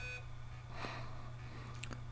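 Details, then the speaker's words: 250GB Hitachi hard drive from 2011 spinning up: a steady low spindle hum with a couple of faint scratchy chirps; not the click of death, but it sounds like it is trying to seek and failing. Cause not confirmed. "It's not the click of death, but it sounds like it's trying to seek but not actually managing it"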